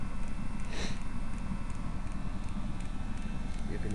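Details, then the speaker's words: Eberspacher D5Z-F diesel heater on bench test, garage 8°, water 12°, at ignition: soft regular ticking about three per second over a quiet hum from the fuel dosing pump, normal. "the fuel pump. The motor, the air motor, the blower motor will gradually ramp up in speed and the dosing meter will ramp up in speed to match the air blower."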